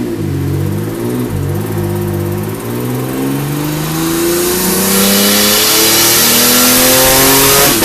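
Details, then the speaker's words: Stock GTO on the dyno with factory ECU, stock injectors and airflow meter: engine pulls hard with rising pitch under load, then cuts sharply and violently near the top; factory ECU speed cut, solved by unplugging the speedo drive. "really a couple of issues with speed cut and I'll show a quick clip up of that now it's it's pretty violent when it hit it as you'll see from the video"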